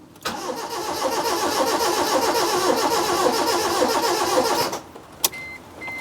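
Starter spins the engine in a steady rhythm of about 210 turns a minute for four seconds, but it never fires; cranks, no start. Cause suspected, not confirmed.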